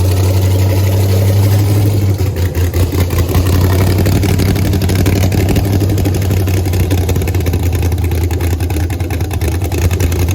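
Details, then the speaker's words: Chevy Blazer race truck with a Texas Speed supercharged (blower) engine, just fired up: loud, deep, lumpy idle held steadily high; crew suspects too much air and expects a high idle on pump gas, while the blower tried to spin its locking pry bar. "Is it idling high just because this is too much air? You It's think? got a bunch of air. Yeah. I held it down, but I think it's always gonna have a high idle on pump gas."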